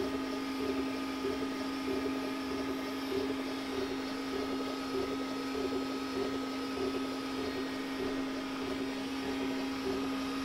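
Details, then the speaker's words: Glowforge Basic laser engraver after the stock exhaust fan was upgraded to a larger inline fan at half speed, same mic position: low steady hum, soft pulsing whir from the moving arm, no harsh buzz. Normal quiet fan, unlike the old beehive-loud one. "at this point i was in complete disbelief i kept leaning over and listening and looking to see if the thing was still operating"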